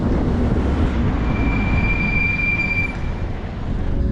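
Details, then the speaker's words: Nissan 240SX S13 just after a front brake upgrade to Z32 300ZX brakes, coasting to a stop: a high, thin squeal lasting about 1.5 s over low rolling rumble, now coming from the rear; the rear brake pads are worn low. "well i thought we fixed it but it sounds like it's still squeaking but i think the squeak is actually coming from the rear this time"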